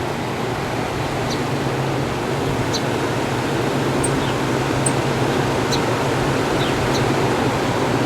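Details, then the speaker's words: 1967 Chrysler Airtemp 6000 BTU window air conditioner model L06-72, 115 V, on extension cord, compressor drawing 36 start amps: steady airy rush, soft low drone, no knocks; compressor runs quietly and seems to cool. "Can't even hear the compressor running."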